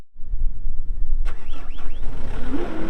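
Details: 2020 Caterpillar 259D3 skid steer loader, 1,484 hours; starter catches and the diesel fires at once, settling into a steady, even low idle; sounds healthy.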